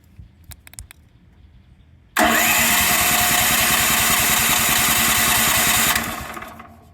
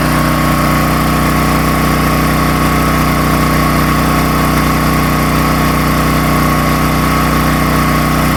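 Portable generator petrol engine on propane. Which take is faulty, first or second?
first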